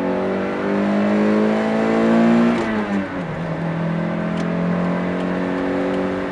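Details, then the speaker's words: 1989 Toyota MR2 after new OE replacement exhaust replaced old leaky raspy one, slight flex pipe leak remaining: smooth even note climbing cleanly when revved, settling back without rasp; normal running. "all right yeah that main pipe theme but sounds way better now"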